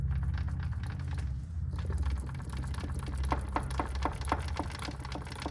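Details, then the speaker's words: 2006 Mitsubishi Lancer Ralliart, engine running, after new clutch and pressure plate: low rumble with a steady light knock about four times a second, believed to be a gear problem inside the transmission. "you can hear that knocking sound that's the song we've been hearing we've never worked on gearbox ourselves so um it was suggested to us that we should just get a new one installed"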